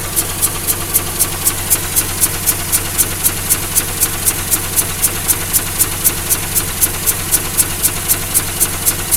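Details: 2004 Mazda RX8 rotary, 110,000 km, idle: very rough with power loss and sharp suction pulse about four a second (240/min, one third of idle) seemingly from behind upper intake manifold; plugs, wires, coils ruled out; owner suspects blown side seal.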